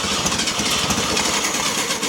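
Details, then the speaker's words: 1969 VW Beetle, stored over 25 years, after the points were cleaned with a matchbook and the spark went from tiny to big, on its original carburetor. Ragged coughs and sputters that never settle into a run, with too much gas. Sputters but will not keep running. "So we're hoping for a sputter. Are you ready? There's a sputter."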